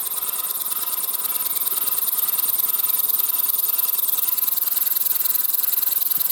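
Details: Model Stuart 10V steam engine test-run on compressed air, without gland nuts or packing so it leaks air: fast, light hissing chuffs about three per second, steady and even; runs fine, though the valve timing probably needs refining.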